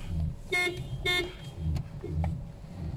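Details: Toyota car (Yaris/Vios/Limo) whose horn sounds while turning but sometimes not with the wheel straight. Horn blasts cut in and out in short bursts over the running engine. Caused by a faulty spiral cable in the steering wheel; the fix is replacing it.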